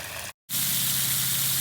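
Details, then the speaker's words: Polaris pool cleaner backup valve after freeing the stuck gear by pushing the small wheel back down onto its bar: short silence then a steady, even rush of water as the valve cycles into normal backup mode. "would be your normal backup mode there we go off goes the cleaner"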